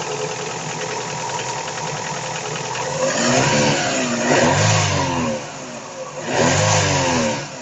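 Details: Daewoo Nexia 16-valve revved twice, hard rattling knock rising with engine speed. Connecting rod and piston knock, cured by replacing the connecting rod and piston group.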